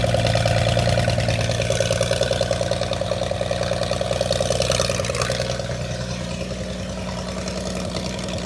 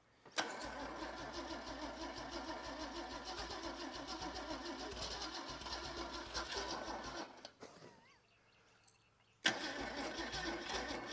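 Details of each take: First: Holden red motor 173 ci (2.8 L) six, about 1971, ex-Bedford CF van, first run after years laid up: settles into an even idle of about three hundred pulses a minute, no knocks or misfires. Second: Holden red motor 173 ci (2.8 L) six, about 1971, ex-Bedford CF van, unrun for years, fuel tipped into carburettor: sluggish, uneven cranking about three turns a second, no catch, dying off as the battery goes flat.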